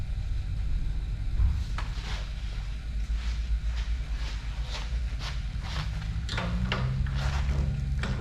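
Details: 1916 Ford Model T, already warm, started at about half throttle: sharp ticking about twice a second while cranking, then it catches into a low, steady, even run; normal start and idle.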